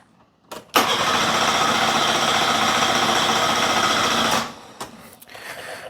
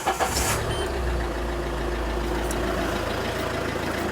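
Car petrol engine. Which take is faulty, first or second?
first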